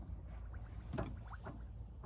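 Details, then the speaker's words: 1980 Ford F100 new master cylinder bench bleed with tubes back to the reservoir: soft, irregular gurgling pops a few times a second as air bubbles out, then stop. "don't know if you can hear that but this bubbles okay now i don't hear any bubbles anymore"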